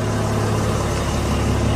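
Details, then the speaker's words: Mercedes W211 after CAN-bus cable repair fixed crank-no-start and no scanner communication: even diesel clatter at steady idle, no stumbling or hunting; engine starts and idles normally, everything working. "مشي الحال ودورة السيارة كله نظامي، كلها اشتغلت."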